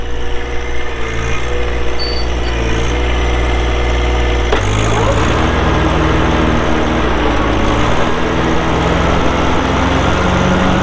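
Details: 2012 John Deere 1023E 4WD hydro compact diesel tractor, 370 hours, hood shut; engine catches midway and settles into steady even diesel clatter at idle, no knocks or misses; normal cold start and idle.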